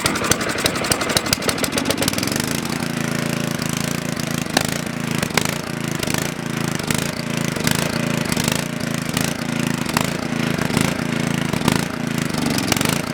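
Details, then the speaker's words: Coleman Powermate generator, oil full, on choke: quick pull-cord rasps, catches and runs unevenly with stumbles about once a second, barely holding on, then stalls. "Well, it's a runner. Since it died, I'm pretty sure"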